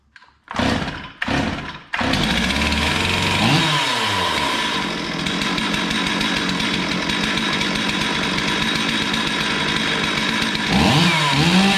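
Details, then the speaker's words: Stihl MS440 chainsaw, previously losing power at high revs, after gasket delete (about 0.022 in squish) and slightly leaned carb: fires after a couple of pulls, then steady crisp high-revving buzz with clean throttle response; runs strong, normal. "this all runs really good i leaned it out just a touch not much but it runs real good"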